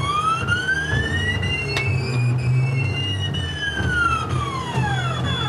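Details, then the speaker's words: CNC mill (Mikini) on Mach, spindle off, running the outer arc of a hole-pocketing program: whining tones sweep up and down with irregular heavy thumps about twice a second, felt in the table; thumping on arc, cause unknown. "There's like a thumping, and you can actually see the table kind of hear it thumping. And you can actually feel it in the table."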